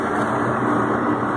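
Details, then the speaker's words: Trane heat pump outdoor unit after condenser fan motor replacement (825 RPM), 65°F ambient: steady even hum and smooth fan whoosh, no rattles or surging; fan drawing 2 amps as rated, running normally. "Right at 2 amps. Fan's rated at 2 amps, so we're right on the money."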